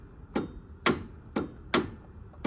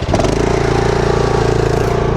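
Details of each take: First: Bad Boy mower, under a year old, about 23 hours, after engine stopped with a clunk while mowing: sharp regular clicks about twice a second, engine never turns over; no crank, owner suspects seized engine. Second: Lawn mower at about 23 hours, under a year old, after dealer warranty work: steady even high idle with no clatter, sounds healthy; at low idle it clatters, worse the longer it runs.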